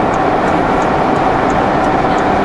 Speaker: It's definitely still there. Yeah, it sounds very tinny vibration.